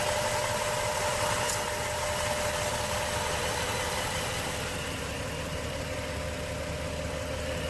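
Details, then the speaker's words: Overheating engine with new water pump and thermostat, block test showing exhaust gas in the coolant: uneven, shaking idle with a lumpy stumble about four times a second and a steady hiss; blown head gasket causing rough running. "yeah that is spitting back out guys not good oh and the engine is running rough you see that"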